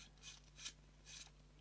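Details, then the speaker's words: Canon EF 28-80mm f/3.5-5.6 II zoom lens, focus gearbox reassembled: short dry rasping bursts, three in under two seconds, possibly from plastic focus gears working against each other; gritty meshing still somewhat noisy. "that's fine that's fine really good well there is something that is a bit noisy"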